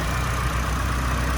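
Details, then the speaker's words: 1999 Nissan Silvia S15 Spec R with the SR engine, 111,000 km, Blitz muffler, converted to a 6-speed manual: smooth, even idle with a steady low hum and no ticks, knocks or weird sounds. Normal idle. "engine started up fine as you saw there's no weird sound"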